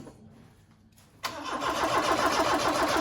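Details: Ford Fiesta RS Turbo garage find stored 17 years, fuel added and reconnected; starter cranks steadily about three and a half turns a second without firing; crank no start, suspected fuel starvation.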